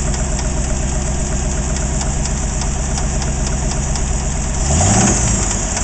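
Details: AMC 360 V8 idles with a steady knocking rattle, about four knocks a second. It started knocking after overheating; the old oil is wet with no metal shavings, and the cause is unknown.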